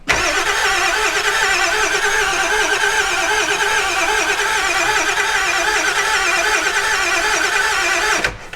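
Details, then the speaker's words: 7.3 Powerstroke turbo diesel E350 4x4 van, long sitting: steady starter churning about eight seconds with no catch or firing; ICP only rises to about 50 (owner thinks 200 or 500 needed), so cranking no-start from low injection control pressure. "but watch I'll go ahead and crank this and you'll see the the ICP pressure goes up just a little bit but it only goes to about 50 and I think these things need at least like it's either 200 or 500 to start"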